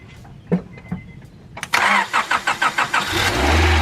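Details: Honda Prelude BB6 on a portable jump pack: slow, even starter chugs, about six or seven compression beats, and no firing; cranks but won't start, with enough fuel and no fault codes.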